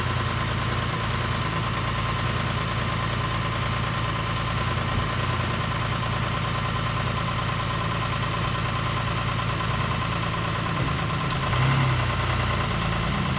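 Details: 2008 Ford Explorer 4.0L, engine reinstalled, running after reconnecting main intake vacuum line and mass airflow sensor: steady idle with fast, uneven light clatter over the engine note; timing chains still rattling.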